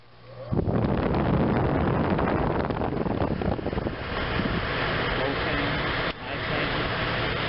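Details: RV rooftop air conditioner (Recreational Vehicle Products) on a 2006 Fleetwood folding camper, after replacing the 115V fan motor's start capacitor, tested on low and high: steady rushing airflow with an even fan roar, no humming stall. Running normally.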